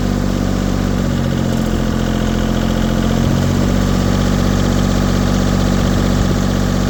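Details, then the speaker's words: LeeBoy 1000 paver diesel that started then shut down, after fuel system work and preheat, engine warm: steady, even diesel clatter at constant idle with no hunting or stumbling; idling normally and staying running. "engine's warm Crank It Up good up by itself okay we're good"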